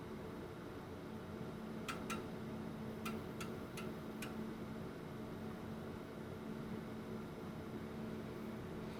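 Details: Old bench oscilloscope booting, six large computer cooling fans ramped up. Steady airy whoosh with a faint low hum from the fans at full speed, even and free of rattles. Normal fan noise during boot.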